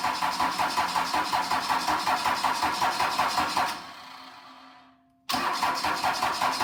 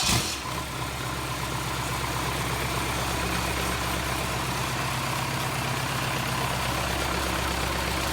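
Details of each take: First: Cummins 4BT diesel, first start attempt after refuelling and hand-pumping air from the fuel system: steady cranking, pause, more cranking with no catch; some combustion smelled, oil flowing; injectors may need bleeding; cranks but will not start. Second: Cummins 4BT diesel, cooling plumbed through hoses, started after battery charge: catches within a second and settles into a steady, even idle with its usual rattle, no knocks or misses; running normally.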